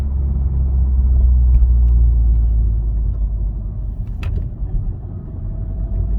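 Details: Honda Civic FK8: deep pulsing rumble at about four beats a second under the running car; abnormal rumble, cause unclear.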